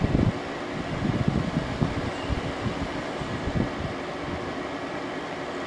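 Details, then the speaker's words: 2001 General Electric Quiet Aire air conditioner, new fan motor bearings, Hero compressor warmed up after about five minutes, fan on high: smooth even airflow whoosh with soft hum, no rattle or bearing noise; quiet on high. "yeah so it is very quiet as as the name would suggest that's low medium high it's even quiet and high"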